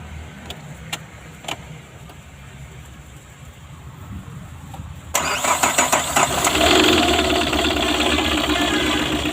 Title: TATA super AC mint dicor engine knock and mising problem